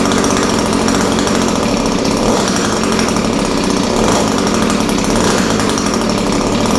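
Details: Echo SRM-210 straight-shaft line trimmer after repair kit (new carburetor, primer bulb, fuel lines, air filter), started on half choke, slight carb adjustment: crisp, steady two-stroke buzz at high revs, even and unbroken without stumbling or surging; normal running.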